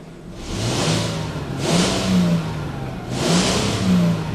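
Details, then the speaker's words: 1998 Mercedes E320 after a disintegrated, melted passenger-side catalytic converter blocking the exhaust was found; a hole was made to bypass it. Three clean rev swells with no misfire or hesitation, plus hiss from the hole. Check-engine light not yet reset. "when you start it up it runs fine haven't reset the check engine light yet but uh it accelerates"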